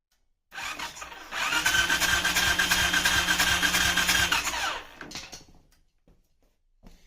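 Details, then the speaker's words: Suzuki LTZ400 ATV with OEM CDI swapped in: steady starter churn at about three compression pulses a second with no firing; still no start, a bypassed key switch also found. "all right still got nothing"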